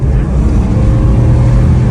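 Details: Jeep WJ Grand Cherokee 4.7 revving after repair of a high-idle fault (idle was previously around 1000–2000 rpm): a deep, full roar that pulls strongly and evenly without stumbling or misfiring, sounding healthy.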